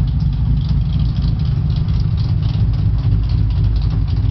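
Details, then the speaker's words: Custom-built V12 CBX motorcycle running down an alley: deep, even multi-cylinder rumble with a clutch-like sound and a quick click-click ticking; exhaust leak suspected but unconfirmed, paint burning off the exhaust. "I hear two sounds. Yep. Like a clutch sound and then a click, click, click, click, click, click, click, click."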